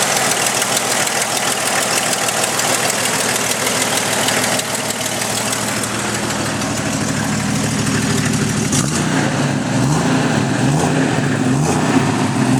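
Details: Jeep Cherokee 4.0L at idle, tick from the back of the engine, heard through a listening tube: sharp regular tick over low engine hum; cheap OBX header manifold gasket blown apart, exhaust leak, cured with Felpro gasket.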